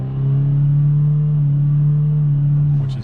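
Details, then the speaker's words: 2022-2024 Honda Civic Sport hatchback 2.0 manual, revved in neutral: revs held flat at a steady drone on the factory 2-step limiter at about 4,300 rpm, then released; normal factory behaviour. "is very strange at 4,300 there. But yeah, it's just not a very good car to rev up in neutral."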